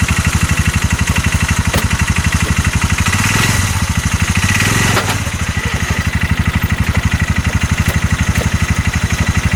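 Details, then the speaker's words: 2022 Massimo T-Boss 750 EFI UTV: heavy, regular thumping about four times a second once put in gear and driven forward under load, shaking the whole engine; engine knock under load, while the CV axles and U-joint check tight. "that sounds absolutely awful I don't want to ride it too much like that it's just shaking the whole engine when I do it I can hear it just knock and knock"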